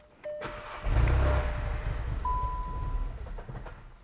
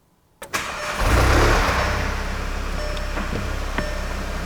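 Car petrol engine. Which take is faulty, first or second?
first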